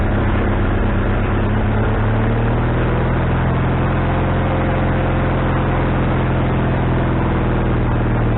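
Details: Wood-Mizer LT40HD sawmill engine just started after fitting a new carburetor, bowl having drained overnight: holds a fast, steady speed and never drops to a slow idle; owner suspects the governor linkage is hooked up wrong.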